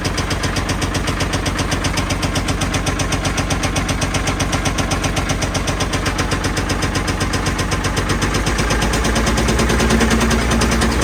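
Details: Old Caterpillar 977L diesel track loader, slated for scrap, started on lots of ether: heavy regular popping bangs, about two a second, over a laboring, very rough-running engine. Backfiring badly enough to sound like it will come apart, though oil pressure is good.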